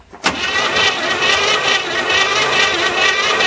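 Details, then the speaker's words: 1981 GM square body truck after 25 years in a field, hot-wired, new plugs, cylinders soaked: starter whirs over three seconds with a thin cranking beat, never catches, battery fading; owner suspects too little compression. "It don't sound very healthy. That doesn't sound like it's got enough compression to run."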